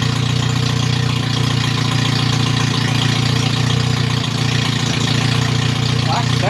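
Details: MG Midget with rebuilt twin SU carbs, no radiator, run briefly: steady but slightly uneven idle with a faint stumble during jet adjustment aimed at stopping stutter off throttle. Mixture tuning suspected, not confirmed.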